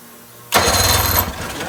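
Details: 1980 Chrysler 45 hp outboard with new coils and brand-new L82C plugs: a short burst of fast cranking that never fires, so it cranks but won't start; the mechanic suspects a fuel problem.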